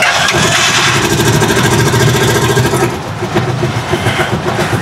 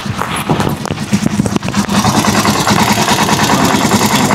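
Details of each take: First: Rusi Chariot 175 single-cylinder at idle on ordinary motor-shop maintenance oil: loud, busy idle with a light rapid ticking (lagatik), about three to four per second; owner links it to the oil, cause unconfirmed. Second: Rusi Chariot 175 single-cylinder: after a few handling knocks it settles into a steady, even idle putter of about two to three beats a second; healthy.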